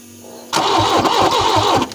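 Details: Peugeot 405 Mi16 on a first start attempt after sitting 5 years: the starter turns the engine quickly and evenly but it never catches. The injectors showed no or weak flow, suspected clogged or a faulty ECU, and ECUs were swapped to test.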